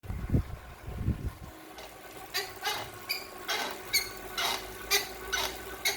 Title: Squeaking noise on Kickr